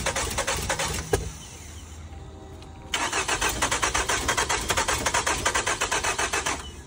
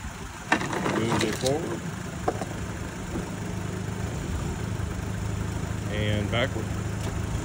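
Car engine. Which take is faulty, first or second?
first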